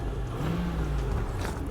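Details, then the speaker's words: Land Rover with 4.6 V8, rust-free, not a 7-seater, holding decent temps on gauge, transmission shifts: smooth even low rumble with no knocks or ticks; happy, healthy 4.6, normal V8 running. "happy, healthy 4.6. Oh yeah, it's a 4.6 and it's not a 7-seater."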